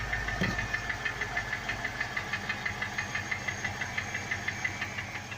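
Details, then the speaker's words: BMW X5 petrol engine at cold start idle with a steady, sharp knock about three times a second, seemingly from up top, worsening over time; quiets down after about ten minutes of warm-up. "so you guys can probably already hear that we have a knocking noise it sounds like it's coming from up top somewhere so you could really hear when you're outside down here"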